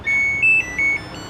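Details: Samsung WA11F5 washing machine control board after repair (it powered on but start did nothing): three short high beeps, middle one slightly higher, then silence; the board now responds normally to the start button.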